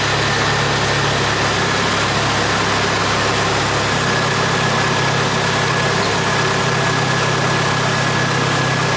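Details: Jeep 2.5 L engine started just after replacing worn rocker arms and pushrods for a ticking noise: steady even idle, no top-end ticking, only a faint belt whine (belt due for replacement).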